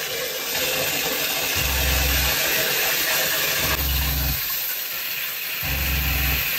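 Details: Shurflo 2095 12V water pump in a converted van, with an expansion tank added on the cold circuit, tap partly opened: low even hum cutting in and out in short spells, steady flow, no surging. Normal running.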